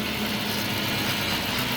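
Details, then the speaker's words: 2007 Chrysler 300C 5.7 Hemi V8, sat 6–7 years; after fuel pump replacement and injector cleaning: even, steady hum at idle, no stumble, all cylinders firing; smooth normal idle. "Then just stopped up and she purr. She purr like a kitten, man."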